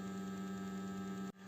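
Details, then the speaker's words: BMW E60 520i M54 during antifreeze change and bleeding, heater fan at minimum: auxiliary electric water pump runs with a steady low hum and faint higher tone, pump vibrating and water heard moving; normal operation. "now we are going to go and you will see how the pump is working you can hear it if we put our hand on it we notice it vibrating we even hear the water moving around there"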